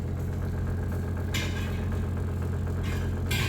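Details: Brastemp BWK 12 kg washing machine: steady low buzzing hum with brief hissing as too little water trickles in, slow fill; faulty two-way water inlet valve assembly.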